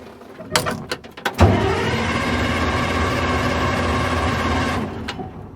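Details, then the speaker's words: Diesel loader with a non-working fuel gauge: a few clicks, then about three seconds of starter churn with no firing. The see-through filter bubbles air with the bleeder open, so it cranks but won't start because it is out of fuel. "so even though the fuel gauge does not work on this machine i uh i can tell it's out of fuel because i've got the bleeder open on the filter housing and my see-through filter right here it is just bubbling air so it's sucking air out of the fuel tank which is no bueno"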